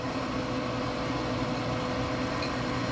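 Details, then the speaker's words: Pit Boss 520 wood pellet grill, over 5 years old, run with igniter disconnected: steady even blower whir with faint low hum, auger feeding pellets, GFCI no longer tripping, so the igniter was the problem. "and it's feeding pellets I hear the augur spinning so that was our issue"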